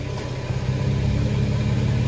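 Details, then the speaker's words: Nissan Xterra at idle after replacing a broken exhaust heat shield clamp with a plumbing clamp: even, smooth idle rumble with no metallic buzz or rattle; heat shield now quiet and secure. "tell you what it's pretty buttery smooth i don't hear anything from the cabin"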